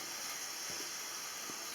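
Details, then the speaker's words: Home heating radiator bled with the heating on and pressurised, bleed screw only partly opened under a sealed bag; steady high hiss of air and water spitting out as trapped air is purged. "Mais quand je vais allumer, il va y avoir de la pression."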